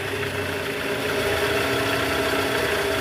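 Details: 2009 Toyota Vellfire/Alphard 2AZ 2.4L petrol engine: faint, uneven rattle ("krrr") from the oil pan area at idle, worst on cold morning starts, in D/R and with A/C on; heard with a stethoscope, and the balancer shaft was found loose and worn.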